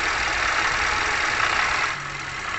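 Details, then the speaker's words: 2017 Toyota Grand New Avanza Type G, engine warm at idle: dry, scratchy "krek krek" crackle over a steady hiss, checked with an engine stethoscope. "jadi bunyinya seperti ini ya ada bunyi krek krek krek krek dari apanya kita periksa terlebih dahulu"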